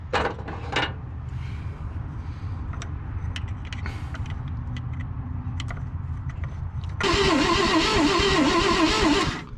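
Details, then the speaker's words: Abandoned 1963 Loadstar truck, jumped straight to the coil: starter churns evenly for several seconds without catching; points barely open, so no spark; the adjustment was probably turned the wrong way and the points need opening up more. "i can start to see spark now in between the points we need to get those things opened up more i think i was running that in when i needed to run it out"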